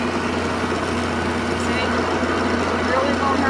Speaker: I want to turn it on just so you can hear how noisy it is